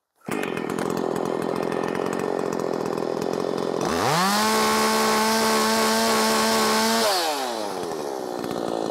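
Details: Makita 5600 (Dolmar-built) chainsaw, sharp chain, tuned slightly rich (13,200 rpm free): idle snapping to a steady high scream for three seconds; in the cut revs varied, up to 11,000s, mostly about 10,300-10,600; pulls strong without bogging.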